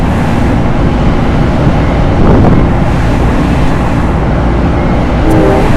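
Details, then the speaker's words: Loren Cook 100 ACEM rooftop commercial exhaust fan with a newly replaced motor, switched on at full speed: a steady, even low rush of air with no knocking, scraping or wobble, running smoothly. "Hopefully you saw that. There it goes, full speed."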